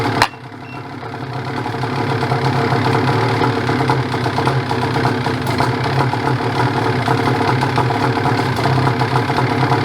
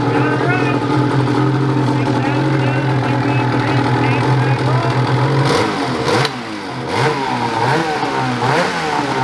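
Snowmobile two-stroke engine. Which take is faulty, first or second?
first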